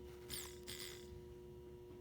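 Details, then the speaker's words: 2001 Toyota Sequoia replacement fuel pump bench-tested on direct power: steady, even electric hum with no stutter. Working fine, unlike the old intermittent pump. "can you hear that yeah we're all good the last one would not do that"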